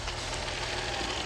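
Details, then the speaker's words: 2006 Dodge Magnum previously with high idle at times and codes P2173, P0300, P0302: after installing a new O-ring to fix an intake leak, idle drops quickly and settles steady and smooth, no hunting or misfire; sounds much better, ETC relearn next. "Yes, guys, sounds so much better."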